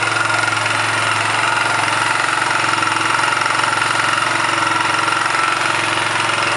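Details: 1999 Kawasaki Bayou 220 single-cylinder ATV idling with a regular knock riding each firing stroke, about four per second; newly got running, engine knock found, source undetermined.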